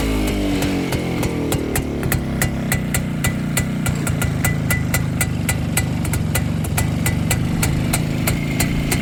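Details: Restored Rajdoot two-stroke motorcycle with a rebored cylinder, new piston run in for about a month locally, electronic ignition replacing the points, and repaired clutch and gearbox: crisp, even putter with regular firing and no misses or knocks; normal idle.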